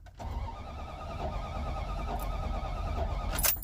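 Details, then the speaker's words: 1992 Dodge Ram, codes 12 and 37: starter spins the engine at a steady crank rhythm for a few seconds but it never catches. Fuel pump, ignition coil, plugs and distributor cap replaced, battery and starter fine; oil lamp on despite enough oil. "Just will not kick. And there's enough oil in there, but it's showing low and the oil lamp is on now. The starter is fine."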